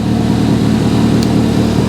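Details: Stolen-recovered Ford Fiesta ST180 started on newly programmed keys, running with no exhaust and no coolant: loud, raw, even drone with a steady low rumble, no knocks or misses; the engine runs fine.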